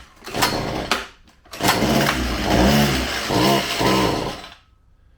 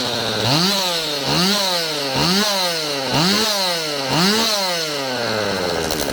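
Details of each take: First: Stihl MS192TC chainsaw that starts easily but bogs, clutch also squealing: fires and revs unevenly, sags under throttle, then dies out within seconds; clogged spark arrestor screen choking the exhaust. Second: Stihl MS192TC chainsaw after cleaning clogged muffler/spark screen: five quick clean blips about once a second then steady high rev without bogging; bogging fixed.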